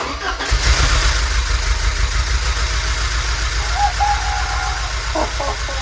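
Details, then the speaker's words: Porsche 944 first start of restoration after new crankshaft position sensor: lumpy, uneven idle with beat dropping out irregularly, one cylinder missing; misfire from sticking fuel injector, cured by tapping it. "my god. It's misfiring, but it's running. Oh my god. It's a noisy bastard, but it's running, you guys."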